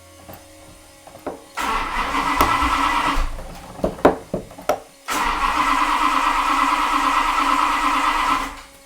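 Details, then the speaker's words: Max Wedge Mopar V8 on a dyno, pumped throttle before cranking: repeated cranking bursts with brief catches and sputters, never running; seems to run rich, spark being checked, risk of killing the cam. "I can't believe I got I'm gonna kill the cam sounds I mean it seems like it's running rich try it"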